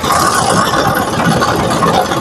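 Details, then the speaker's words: 2012 Maruti Suzuki Swift, engine running after start with AC switched on: loud fast uneven rattle and buzzing chatter from the engine bay as the radiator cooling fan wobbles and vibrates heavily; radiator fan vibration rattle. "ആ fan കിടന്നു വിറക്കുന്നത് കണ്ടോ fan കിടന്നു വിറക്കുന്നതാണ് കണ്ടോ fan കിടന്നു വിറക്കുന്നുണ്ട് ചിലവിടാ sound ഉണ്ട്"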